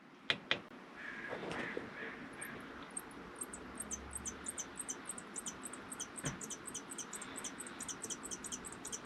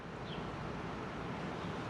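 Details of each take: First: MaxxAir MaxxFan / Fantastic Fan roof vent on a 2019 R-pod 180 RV: rapid high-pitched chirping squeaks, about three a second, repeating with fan rotation over soft airflow hiss; squeaking fan motor bearings, fix attempted instead of replacing motor. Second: MaxxAir MaxxFan/Fantastic Fan roof vent on a 2019 R-pod 180 RV, after fixing the fan motor squeak: steady soft airy whoosh, smooth and even, whisper quiet with no squeak or squeal.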